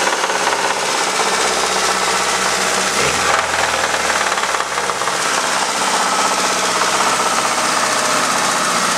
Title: ford zx2 rod knock